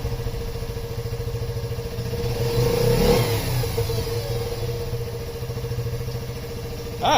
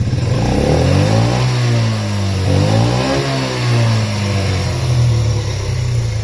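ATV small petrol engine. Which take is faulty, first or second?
second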